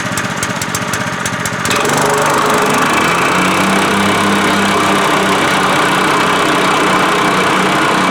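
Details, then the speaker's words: Honda GX200 single-cylinder swapped onto a plate compactor after sitting five years, refuelled, oil checked, fuel primed: rattly start then steady chug settling into an even fast beat without misses or surging; normal running. "now that is what i call reliability"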